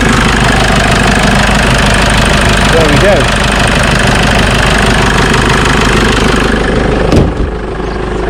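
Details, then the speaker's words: Jeep Wrangler JK 2.8 CRD diesel after an oil and filter change: a steady, even diesel clatter at idle, much smoother than before. Normal idle. "certainly sounds much better than it did that's pretty good it is"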